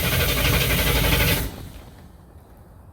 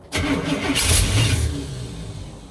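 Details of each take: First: 1967 Cadillac hearse engine, unstarted for over a year, after top-end checks and repairs, cranked in 5-second bursts to build oil pressure before first start: two bursts of even, brisk cranking at about four beats a second, no catch; starter and compression sound healthy. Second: 1967 Cadillac hearse V8, first start, no gas tank so fuel is poured into the carburetor: it catches with a sharp burst and roars briefly, then the revs sag and fade. Hard start on a primed carb, though the engine runs.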